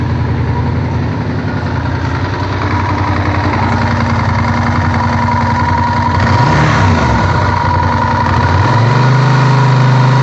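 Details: Honda VTR1000F V-twin idling with a steady low chatter that stays through a quick throttle blip; worn cam chain tensioners knocking, cured in 2014 by replacing the tensioners.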